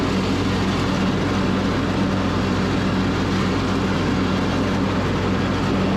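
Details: Craftsman YS4500 riding mower, 21 hp single-cylinder, after third carburetor, new fuel filter, fresh oil, good air filter and leveled deck: a steady, even drone with no misses, knocks or surging; runs healthy.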